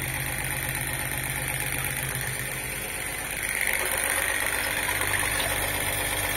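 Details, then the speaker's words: Homemade peristaltic pump for thick mash, motor set to the maximum speed that runs stably without encoder lockup; steady, even motor hum with fine buzzy tones and a slight pitch shift, no stutter; normal running. "также я выставил сейчас сразу обороты максимальные при которых он стабильно работает без блокировки энкодера двигателя"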